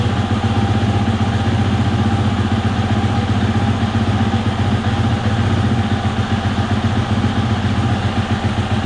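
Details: 2020 Husqvarna FE 350, 40 hours, reassembled after fuel filter replacement aimed at stalling and bogging on throttle: steady, even low thump at idle with constant beat, no stumbles or surging; idle may still need tweaking.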